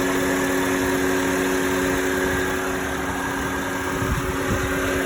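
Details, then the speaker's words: 2009 Honda Civic, accident-damaged and towed, sat 2 days: warmed-up idle with the AC on and a faint fan whine over a low hum. No knocks or misses. Temperature holding, not overheating; engine fine. "Yeah, the engine's fine. Perfect. The frame happened? I warm up the engine and it works very good. There's no issues with the engine."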